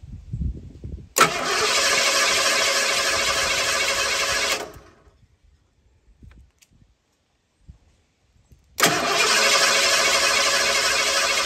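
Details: 1983 Ford with a separate high-voltage ignition coil, cranked by jumping the fender-mounted solenoid with the known-good coil fitted: two strong even cranking bursts around 200 a minute, no dragging; cranking normal.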